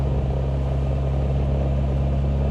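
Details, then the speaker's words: Infiniti G20 with SR20VE engine, not run for years, new K&N cone filter, E60 MAF, just started cold, not yet at temperature: steady even low drone with smooth unbroken firing, no knocks or misses; clean normal idle. "Okay, it's not in gear. Let's find out. There you go. It runs. It's alive. It is uh It's alive. Oh my gosh."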